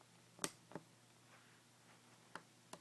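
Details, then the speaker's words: Dell W2600 TV/monitor that will not power on: a sharp relay click at power-up, a few faint ticks, then nothing. Suspected cause, from research, is a temperature sensor problem with the memory chip at location I232. Not confirmed. "you will hear a click, but nothing will happen."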